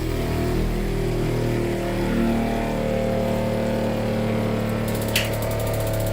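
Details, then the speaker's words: Tiny-house rainwater PEX (RV-style) plumbing: pump filling the cold-water line to the rest of the house; even low hum with a steady buzzing drone, no surging or rattles, normal pump running as lines fill and pressurize without leaks. "Whoa. That sounds insane. There's water in here. Holy shit. I think I have plumbing."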